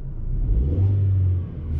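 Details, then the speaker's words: 2004 VW Golf after catalytic converter replacement: deep rev swells with a coarse raspy edge and possible popping from the rear; the car still failed emissions as not ready. "It's got a little rasp coming from the back. I guess I should put the camera outside, but yeah, it's got a little rasp. And I heard a little popping."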